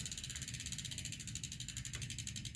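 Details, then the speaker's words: Bicycle during a new shifter cable install, fed through the left-hand controller to the front (top) derailleur: fast rhythmic scraping ticks, about ten a second, follow pedal speed. The chain is still dragging on the front derailleur while it is being adjusted inward. "Okay, let's go in a little bit. Still dragging a little bit. You can hear it."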